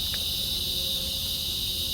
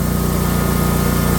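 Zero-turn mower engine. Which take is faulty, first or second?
first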